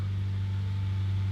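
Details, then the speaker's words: 1993 Honda Prelude, first start after sitting two years, jump-started from a BMW battery: smooth even drone with no misses or knocks but idle too high; suspected causes a clogged EGR ("DGR"), bad plugs or bad fuel. "I like the sound of that. That sounds really good. RPMs are kind of high. Maybe a clogged DGR, bad plugs, bad fuel."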